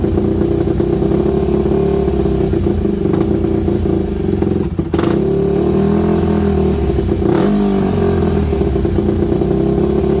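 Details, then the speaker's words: Yamaha WR250 single-cylinder with good compression, just revived after sitting: wavering idle that dips and recovers with a couple of blips; carb needs rebuilding, owner unsure idle jet is fully unblocked, irregular idle. "you can hear it when it's running as well it's uh it's got an idle issue there I'm not too sure about that idle Jet if it's um if it's completely unblocked or not"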